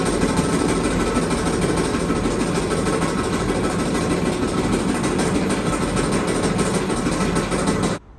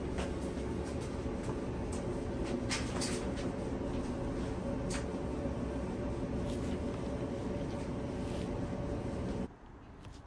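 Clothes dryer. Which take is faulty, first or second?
first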